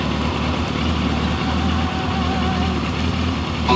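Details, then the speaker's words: 2000 Kawasaki Voyager XII motorcycle, 67,000 miles, new battery, cold engine (temperature gauge cold) on choke: a smooth, even low rumble at a raised idle, with no knocks or misses. Normal cold idle. "The choke is right here if you need to kick it down, or if you need to kick it up until it warms up a little bit. As you can see, the temperature gauge is nice and cold, and she does have 67,000 miles."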